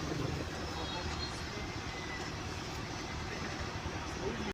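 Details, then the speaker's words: 2010 Toyota Vanguard 2AZ engine idling after clearing P0171 lean code, following MAF and fuel pump work: quiet even idle, soft steady hum, no stumble, miss or hiss; check engine light off, running smooth. "Right now the engine is running smooth."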